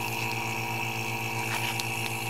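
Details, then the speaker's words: Small vacuum pump drawing down a vacuum needle, used with a freeze dryer: steady even motor drone with constant pulsing hum, no change in pitch; normal operation. "so you turn that on you see that thing pulling a vacuum out of there and it works really well"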